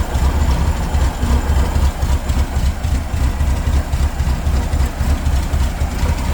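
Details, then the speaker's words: '79 VW Super Beetle with a new EMPI carburetor and repurposed air cleaner, cold start on choke: deep, quick, slightly lumpy pulsing at about four beats a second, held high; normal fast idle until warm. "the joke is running right now as soon as the engine warms up it'll back off and it'll run a little smoother but uh"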